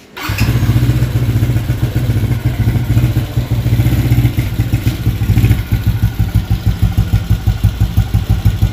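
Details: Motorcycle (LC135/Y15 up-spec build) with freshly fitted SCK back-pressure exhaust, stock CDI, cranking: catches instantly, settles into deep steady thumping idle around three beats a second, no rattles; normal idle.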